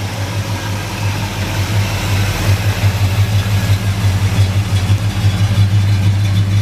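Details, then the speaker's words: 1972 Chevrolet El Camino, original 350 V8 with 4-barrel carburetor, aluminum intake, HEI ignition, automatic: deep, even burble at idle heard at the rear, steady low rumble with no misses or knocks; smooth-running 350, normal idle. "Nice, smooth running little 350. Not much to it. Easy to take care of."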